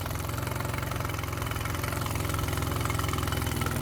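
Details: Mercury 9.9 outboard bought used, which had not run, back after 8-9 weeks of repair with parts from abroad; test run in the tank: steady, even low putter at fast idle, no misses or knocks; healthy.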